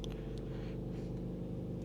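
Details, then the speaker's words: 2019 Honda Pilot, 3.5L Earth Dreams engine, 6-speed, recorded inside the cabin at idle: steady low bearing-like droning hum, not changing; bad high-pressure fuel pump against the firewall, heard only inside the car. "But anyways, it's just a bad high pressure fuel pump. It's right up against the firewall. You can't hear it underneath the hood, only inside the car. It's like a vibrate, like it's like vibrating."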